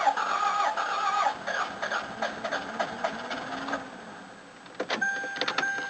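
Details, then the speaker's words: Toyota RAV4 cranking after sitting unused for a few days: uneven, lopsided cranking with compression on only about two cylinders; valves stick after sitting. Low compression from sticking valves. "All the valves seem to stick. Have a listen. It's only got compression on like 2 cylinders."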